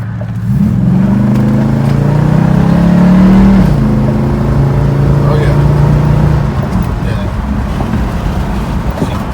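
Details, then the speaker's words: 1996 Impala SS with intermittent no-start issue, hard launch pull: engine note climbs cleanly under full throttle, steps at shift, no stumble or misfire; acceleration normal. "she feels good pulling hard I don't really see any issues with uh acceleration or anything like that"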